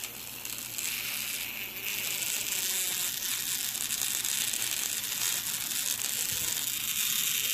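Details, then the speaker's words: 3V small DC motor fed 12V: high, strained buzzing whine with raspy edge that keeps rising as it smokes and overheats; the motor burns out from overvoltage. "Did the power supply die or did this motor die? Sounds like the motor died."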